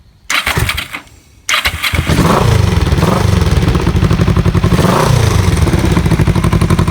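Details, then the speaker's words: Kawasaki EN450 bobber project, just started with extra fuel: after a couple of tries the engine fires and settles into a strong, even, steady beat with no knocks or misses; running normally. "i feel a bit more fuel in come on and it sounds immense listen to"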